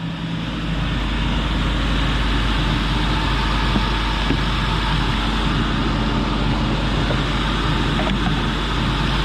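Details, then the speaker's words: 1997 Ford Taurus SHO, Yamaha 3.4L V8, 173,000 miles, just started: smooth, steady, fairly quiet idle with even hum, no ticking or knocking; running great, cam gears possibly already welded or original. "Either this thing's had the can gears already welded, or it's a true masterpiece that it hasn't gone yet, but you heard it, running great."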